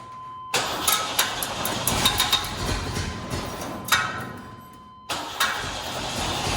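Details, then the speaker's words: 1955 Ford F100 on 4x4 frame, 3/4 tank fuel: cranks, catches, runs ragged a few seconds on brake cleaner spray, dies, catches again; runs only on spray, fuel pump not heard, relay suspected, not confirmed. "You should never run a car on brake clean, never, but I am."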